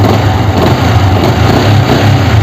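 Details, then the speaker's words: Yamaha R15 after fitting clutch housing rubber dampers: steady low hum with even pulsing and no thump or clunk when blipping from idle; smooth running, good pickup. "இந்த rubber ஷேக்கை நம்ம ready பண்ணி போட்டதுக்கப்புறம் அந்த மாதிரி பிரச்சனை எதுவுமே வராது. வண்டி ஸ்மூத்தாக இருக்கும், பிக்கப் நல்லாயிருக்கும்."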